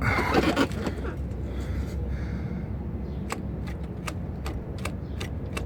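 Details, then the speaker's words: Worn driveshaft carrier (center support) bearing on a 2004 Mercedes ML500, badly wiped out: low rumble with sharp metallic clicks about every 0.4 seconds. "alright guys so this is a carrier burying center support bearing on a ML 2004 ml 500 Mercedes and this is a very good example of a very bad bearing okay here we go this thing is wiped out"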